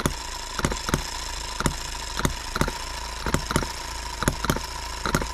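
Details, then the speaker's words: Repaired H73 engine about 15 minutes into an endurance run in a 100°F shop, likely getting hot: sharp, uneven pops about once a second break through a light running drone as it starts to misfire now and then. "i know it's got to be getting hot by now and i'm sure this is the most riveting thing to watch on youtube but starting to get a couple misfires"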